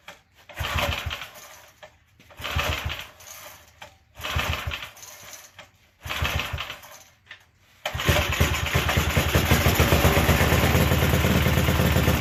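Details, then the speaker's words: Gilson rear tine tiller from a junkyard, recoil cleaned of dirt that made it grab and squeal, long unused, primed with ethanol-free fuel, choke used, governor-controlled throttle: four pull-start bursts, then catches and settles into steady even single-cylinder running; starts fine. "Does the throttle even work anymore? Yeah, it's just all governor operated."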